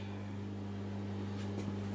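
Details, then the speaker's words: Hoover A3308 washing machine switched on with no cycle started: a steady low electrical hum from the drain pump running continuously straight away, a fault. "so it'll switch on and if you notice straight away the pump is already on so there's some more problem going on"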